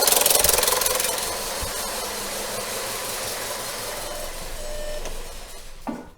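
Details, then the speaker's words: Skoda Yeti with the 1.2 TSI turbocharged petrol chain engine: a constant, fast metallic ringing rattle over the running engine, very loud. Owner complains of knocking and rattling near the valve cover; the timing chain is suspected stretched, and chain and tensioner shoe are replaced. "вот и проблема стара как мир очень очень громко работает мотор"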